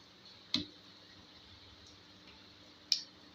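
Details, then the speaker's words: 1 kVA automatic voltage stabilizer built with 3 relays, brought in for repeated clicking, supply set to about 200 V via a variac: two single crisp relay clicks about two and a half seconds apart over a faint hum, clean normal switching. "अब ये कितना पर कितना हो रहा है ये देखना होगा। यहाँ पर खटखुट हो रहा है।"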